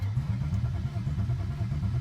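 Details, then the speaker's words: BMW E36 sedan after fuel pump relay and IACV work: starter cranks steadily about four times a second with no firing or pops; crank no start, suspected no fuel, check engine light shows DME powered. "spine sounds good but uh no fuel otherwise we'd be getting at least a little pops and stuff"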